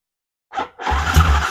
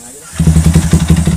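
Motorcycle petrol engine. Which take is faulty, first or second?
second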